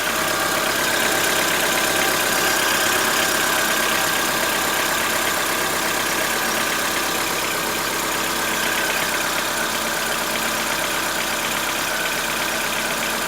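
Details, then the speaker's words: 2014-15 Chevrolet Onix 1.4 on gasoline, cold start: fast fairly even light ticking around 170 per minute over idle; owner suspects lifter tapping inside engine, not injectors, present since new, lasting about 10 minutes and worsening yearly; dealer calls it normal. "Não é barulho dos bicos trabalhando, é dentro do motor."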